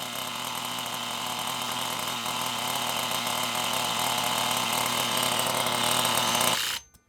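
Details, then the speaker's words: FTX Bugsta nitro RC truggy revving: a high buzzing engine note climbs lazily and never reaches full throttle, blamed on weak throttle servos on inadequate batteries; the linkage also bends under braking. "Could you hear it when I was revving it up? Could you hear how lazy it was? That's because of them servos."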